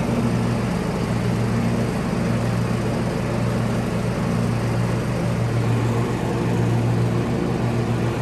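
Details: Kohler-engined John Deere lawn tractor, previously surging, after fuel filter replacement; even, steady engine note with no hunting or rise and fall in speed, running smoothly.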